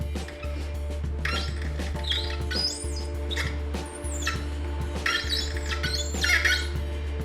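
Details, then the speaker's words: Threading a solid brass bar for a custom Sportster shifter rod with a die: short high squeaks with each turn as it cuts dry; a little WD-40 or light oil quietens it. "can hear that squeaking now with brass because it's soft you don't need a heavy oil to cut that"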